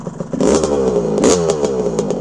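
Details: 1982 Honda CR125R, original tires, started first kick while cold and warming up: crisp, ringing two-stroke blips rising and falling cleanly with the throttle, no knocking or rattle, a healthy, tight engine.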